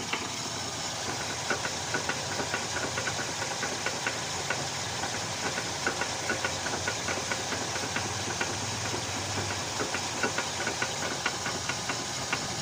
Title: TOYOTA ALTIS 3ZZ ENG. ISSUE INNER CV JOINT NOISY WHILE TURNING LEFT.